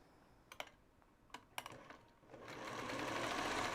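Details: Sewing machine after its needle was replaced: a few single stitches, then a smooth, even run-up with no clacking or thumping; sews cleanly, sounds better.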